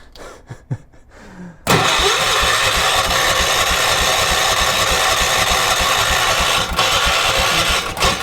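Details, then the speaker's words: 1980s ORVCO Transtrack UTV being revived on old drained fuel, spark now reconnected and fuel in the carb bowl: steady fast churning crank after a few hand noises, no catch or rise in speed; turns over but won't fire. "got spark just no go. That's a good sign."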